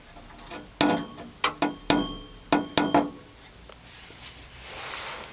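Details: Lexus ES300 heat shield rattle: sharp, tinny metallic clinks in an uneven burst of about six hits from a loose exhaust heat shield.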